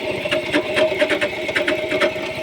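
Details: Chrysler 300 at idle. Quick, even light metallic ticking, a few taps a second from the top end; owner says he knows the cause but it is not stated.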